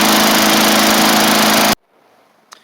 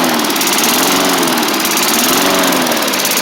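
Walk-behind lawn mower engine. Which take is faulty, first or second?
second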